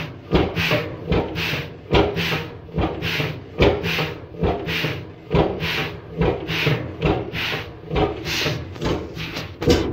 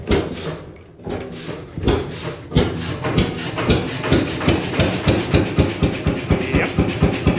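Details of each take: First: 1928 Beijer 13 hp two-stroke hot bulb oil engine, 10.4 L single cylinder, injection pump tuned down to minimum: soft uneven whooshing thumps a bit over one per second with intake air chuffing; piston bouncing on compression and firing without turning, zero rpm. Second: 1928 Beijer 13 hp two-stroke hot bulb oil engine, 10.4 L single cylinder, normally about 400 rpm: slow heavy thumps about two per second picking up pace as fuel pump is turned up from zero-rpm running; normal running.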